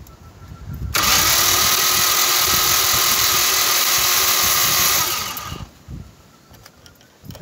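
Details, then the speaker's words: VW Golf Mk1 engine with tappet cover off, cranked on the starter to watch cam and valves: about four seconds of even, rhythmic cranking near three beats a second, no clatter or catches; valves move normally, no problem seen. "Look if everyone go down and up. Doesn't seem if there's any problem."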